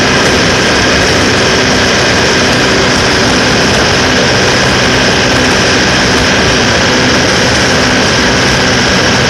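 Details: Cummins QSK45 diesel at high speed during a misfire check: loud steady high-speed roar with no obvious repeating miss or stumble; a misfire can't be picked out here.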